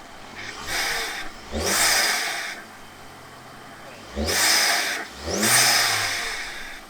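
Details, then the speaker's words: 2006 Audi A3, 183,000 miles, after a part refitted to stop stumbling with the dipstick pulled: four crisp throttle blips rising and falling cleanly back to idle, no stumble or misfire; improved throttle response. "so this is a great result and we even have better throttle response"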